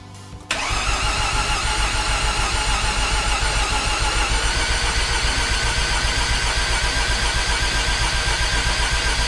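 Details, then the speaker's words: Rebuilt Mazda RX8 Renesis rotary with RX7 apex seals, first crank with injectors disabled in Haltech to prime oil: an even, quick cranking rhythm without firing, pace changing as oil pressure builds to 17 psi; healthy priming crank. "So, just going into Heltech and just told it to disable injector so we can crank it over until we get oil pressure."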